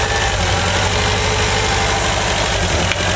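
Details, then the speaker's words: 1985 VW Vanagon that dies on throttle with vacuum advance connected, during idle and timing adjustment with timing found too advanced: busy, slightly fast idle surging with an even throb, apparently too much air getting through. High idle. "that's surging too much air getting through"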